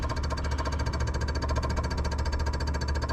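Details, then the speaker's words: 1979 Mazda RX-7 rotary that sat over 10 years: fuel pump buzzes fast and steadily and never changes, discharging nothing while pulling vacuum; owner suspects the tank pickup line is clogged. Fuel pump running dry. "Okay, so that was drawing a vacuum on this. Ugh. Might have a clog at the tank, which would suck."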